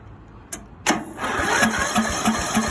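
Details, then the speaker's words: Greenfield E2000 ride-on mower, 17HP Briggs & Stratton Intek OHV, sat for years, choke on, fuel present, dirty air filter removed: starter churns about three pulses a second but engine never fires; cranks no start, spark next checked. "Nothing yet."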